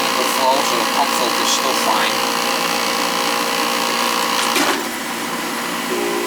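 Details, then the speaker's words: Old oil-fired boiler burner running with the limit control jumped out: loud steady roar with a constant drone. Noisy burner traced to the air shutter. "I'm gonna take that air shuttle thing out of there I'll show you what it looks like when I get it out noisy it's always an issue with those things"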